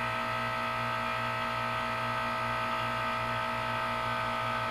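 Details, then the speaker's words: 2004 Carrier 10 SEER 3-ton heat pump, 12 years old, outdoors in cold weather with a frozen coil: steady, even compressor hum with a constant high tone and no knock or rattle while it dripped through a normal defrost cycle. "this is a 12 year old 3 ton carrier heat pump at my gym in defrost mode"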